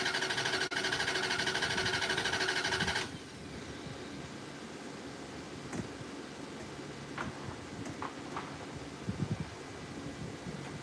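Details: Lovejoy Fifth Avenue car being worked on, throttle linkage possibly not hooked up. Starter spins the engine at a steady rhythm for about three seconds but it never catches. Cranks but won't start; cause suspected, not confirmed.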